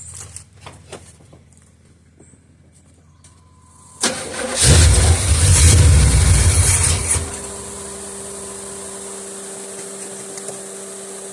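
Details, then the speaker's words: 1976 Olds 455 big block in an 84 Chevy Suburban/Blazer build, sat 155 days, cranked using carb/choke cleaner as starter fluid. Steady even cranking with no firing or kick, then faint hum; cranks but won't start. "normally you can here it kind of acting like it's going to start and I don't even feel it kicking"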